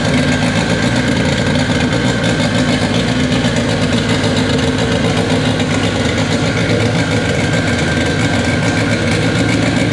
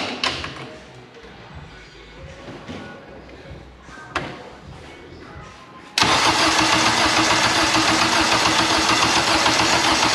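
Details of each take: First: K24 engine in an all-wheel-drive Integra, first start on a FuelTech FT600 ECU after two days of settings: steady, even idle hum with no misses, knocks or surging; normal, healthy idle, fuel tuning still needed. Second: K24 all-wheel-drive Integra on a FuelTech FT600 ECU: steady churning crank about four turns a second that never fires; crank no start, cause unconfirmed.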